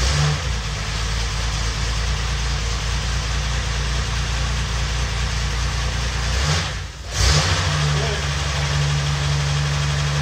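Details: $50 L28 six (240Z) freshly rebuilt with chrome-moly rings and new bearings, just after first fire-up: smooth even idle, one brief rev and quick settle, no knock or misfire; oil pressure about half, no smoke.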